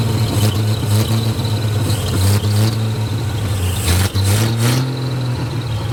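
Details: 1937 Chevy with a 250 six-cylinder that hadn't run in years, five-speed: loud, lumpy idle, then clean revs; runs well, but ignition timing is suspected slightly off; oil leak and low oil pressure noted.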